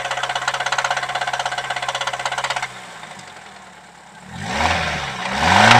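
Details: Nissan SR20DE engine knocking after using ENI oil, at start and when warm: sharp knock about three per second at idle, then revved; owner suspects a bearing shell, not confirmed.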